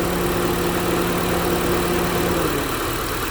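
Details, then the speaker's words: 2012 Honda CR-V 2.4 four-cylinder after alternator replacement for bearing noise: steady even idle, smooth low hum, no whine, knocks or misses; LIN bus charging at 12.3 volts at first, then charging fine. "we're going to shift this one let it go seems to be working just fine now"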